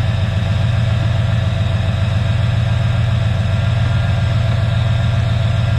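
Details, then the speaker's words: 1995 Chevy Impala SS 5.7L LT1 350 V8 with 4L60E, test run; deep, steady idle with even low rumble and no knocks or misses: running nice and smooth. "nice and smooth running here"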